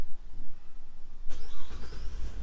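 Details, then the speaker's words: 2012 GMC Acadia started by remote start after programming a new key: quiet, then crank and catch settling into low even rumble; normal engine start. "there we go engine fired up"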